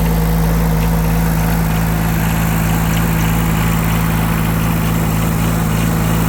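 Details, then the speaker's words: Yanmar 3TNV70 three-cylinder diesel on a Cat 300.9 excavator after new injectors and glow plugs: steady low idle with even hum and no sharp injector clatter, much quieter than before; still heavy smoke, oil source unknown. "Much quieter. Still a lot of smoke. But I'm not sure where the oil is coming from."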